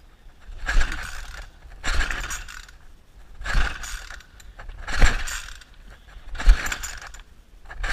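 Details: Weed wacker (string trimmer) cranks but won't start: six rhythmic rope pulls about every second and a half, each a dry rasping whir, and the engine never catches.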